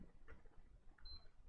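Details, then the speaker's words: Sony PS4 Pro with a no-power fault: a single short, high beep at power-on over faint room hum, a brief blue light, then it shuts off at once and won't respond to the power or eject buttons. "so today we will be looking at this PlayStation 4 Pro Edition which came in for no power so if I turn on the power so when I turn it on you will hear it beeping one time"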